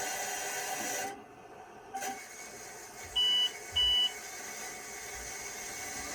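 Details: IBM PS/2 Model 25 (8086) with a 20 MB hard disk: two short, high-pitched POST error beeps over faint fan hiss during boot, pointing to a failing drive that would not pass tests; the drive seems dead.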